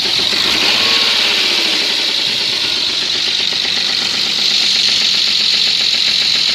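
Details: BMW M50 engine at idle: sharp metallic tapping about four per second over steady idle; unidentified engine knock, cause unknown.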